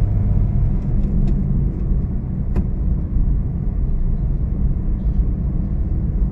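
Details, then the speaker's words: Honda Mobilio after repair of a clunking suspension, test-driven on smooth asphalt and bridge joints. Only a smooth low road rumble, no clunks or knocks; suspension now quiet. "sudah tidak ada suara geblatak ya Nah ini halus sekali nih apalagi di jalan yang halus seperti ini ya"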